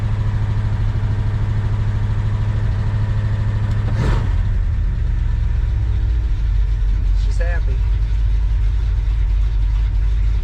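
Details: 1966 Ford Fairlane GTA V8 after fitting a remote oil filter and new gauges: deep, lumpy idle holding steady with one quick blip, nothing knocking or ticking; good oil pressure, charging 14 volts, running healthy.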